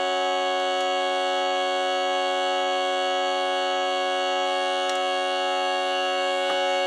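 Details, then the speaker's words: Jensen V21 Leslie upper driver after adjustment: steady test tone still has a thin, raspy buzz edge over the note at certain frequencies; worn diaphragm, unusable and needing replacement. "so even though I was able to get out some of the buzz I can still hear the buzz in there this lets me know that this diaphragm the shot I can't use this anymore"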